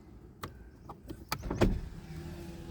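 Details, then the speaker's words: 2012 Mitsubishi Galant bought to flip, not yet running (no-run issue, starter and crankshaft position sensor to be replaced); power windows tested: switch clicks then a steady, even motor hum as glass travels smoothly, normal power window operation. "I mean, all the windows roll up and down. I say they do."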